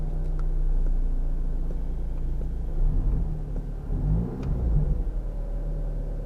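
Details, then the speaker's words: Audi TT Mk2 4-cylinder, aircon on auto with fan turned down: faint steady high whine over engine rumble that stops when AC is switched off; compressor whine from low refrigerant, fix is regassing. "You get you can get this background whining. I can hear it now. When you turn the aircon off, it stops."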